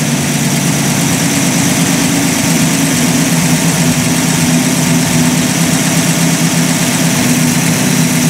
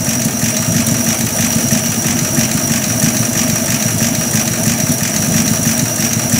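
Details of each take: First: Warm Buick Roadmaster after final tuning; after a throttle blip the idle holds a touch high instead of dropping back, steady and fairly loud, because the throttle dashpot is sticking and slow to return, if at all. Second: Buick Roadmaster during final tuning, idle around 480–500 rpm while the idle mixture screws are set between lean and rich: a low, steady, even idle loafing along with no misses, called not too bad.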